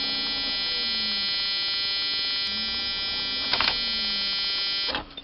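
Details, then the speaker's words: 1995-96 Jeep Cherokee XJ 4.0 petrol (UK Limited), ignition on during bypass wiring checks: a steady, shrill buzz holds about five seconds then cuts off; factory immobiliser buzzer, showing the immobiliser sits after the ignition switch. "Oh buzzer actually bombed right actually that's pretty good because I've actually got that means the immobilizer is after this switch and that is so much easier because if the immobilizer was before the switch I'd have to get some kind of power from somewhere else into here but"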